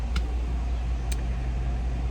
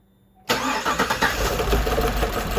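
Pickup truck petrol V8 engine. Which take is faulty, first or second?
second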